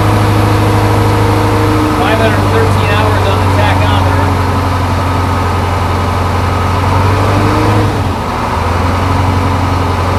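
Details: Crane truck with a Detroit 8.2 diesel, idling after start with oil pressure over 60 psi: low, even idle with a steady rumble and no knocks or misses. No excessive blow-by; the engine sounds healthy and settled.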